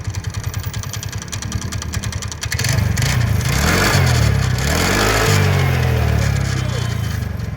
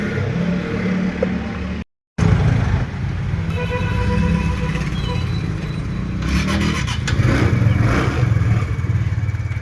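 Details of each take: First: TVS Ntorq scooter engine at idle: harsh metallic clatter about three beats a second, swelling as it revs, coming from the starter one-way clutch. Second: TVS Ntorq scooter after fixing a loud engine noise from the one-way clutch by properly fitting its nut: even, steady engine note with no rattle or knock from the drive side. The noise is fully gone and it runs normally.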